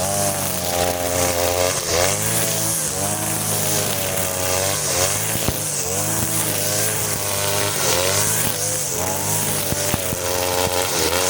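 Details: Side-mounted brush cutter running the leaner blade setting of the carburettor mixture screw but fitted with nylon line, cutting short grass: high-revving two-stroke rises and sags repeatedly under load, can't hold speed; it cuts but lacks power.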